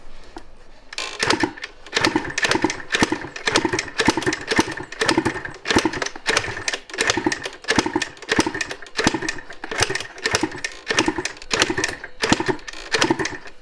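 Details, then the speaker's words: 1986 Yamaha IT200 two-stroke enduro, kick-started after lots of oil was dumped into the cylinder: slow, uneven popping about twice a second that never settles, with a little smoke; likely still oil-fouled. Rough running, struggling to stay lit. "Oh, look. A little bit of smoke. It wants to run."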